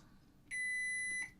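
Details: Sony HT-BE1 5.1 home theater amp that lights up but gives no sound. The fuse is tested with a multimeter on diode setting: a single clean, unbroken high beep under a second shows the fuse conducts and is good.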